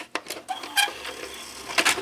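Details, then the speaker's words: 1987 Panasonic AG-6200 VCR with tape inserted: uneven clicking and short scraping whirs as a small deck motor labours, keeps ejecting the tape; sluggish, motor suspected worn, needing oil, or underpowered. "there sounds like it need some oil yeah it sounds really bad it's it knows that something's wrong keeps putting the tape back out but yeah it seems a little sluggish"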